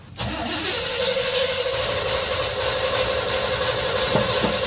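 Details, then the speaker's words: Jeep CJ-8 Scrambler neglected for about a decade, carbureted, choke set: starter cranks steadily but it never fires; no gas reaches the fuel filter and the mechanical fuel pump appears dead. "oh there's no gas coming up really it doesn't look like it to me"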